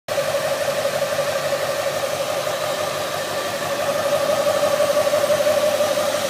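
A steady, high whine holds at one pitch over a quiet engine hum; something in the engine bay is whining, cause not yet known.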